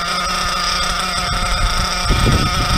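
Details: Nitro RC car after the idle screw was turned up about 2/16: a fast, buzzy small engine holding a steady, elevated idle rather than settling low.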